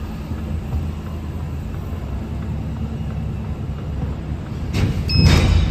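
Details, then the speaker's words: Truck trailer with a sticky box, being jolted to free it: low steady truck rumble then one heavy bang near the end; driver hopes it is that box, going to check. "Ooh, hear the bang. Oh, let's hope it's that one."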